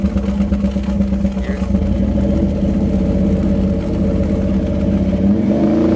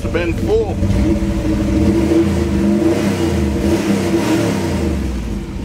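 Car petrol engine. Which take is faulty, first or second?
first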